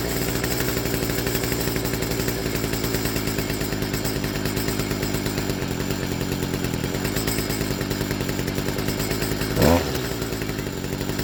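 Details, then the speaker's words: Stihl FS55R two-stroke trimmer just after a carburetor swap, at idle before tuning: fast but uneven putter that sags and stumbles as if about to stall; idle mixture too lean, low-speed screw then opened about half a turn. "So, we started this up. It sounded like it was about to die."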